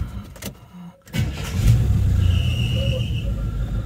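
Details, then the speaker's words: 1984 Chevy K5 Blazer sat 10+ years, restarted for first drive home: engine cranks and catches, then a thin high-pitched squeal rides over the idle for about a second; just a squeaky drive belt. "just a squeaky belt hey"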